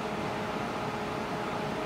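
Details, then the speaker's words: GE Panasonic inverter microwave after reseating the loose door switch connector (it had run only 3 seconds then shut off, terminal showed arc marks): fans and turntable turn, magnetron running with an even whoosh and steady hum, no buzzing or arcing; heats water normally. "The fans turn on, the turntable turns, the magnetron's running."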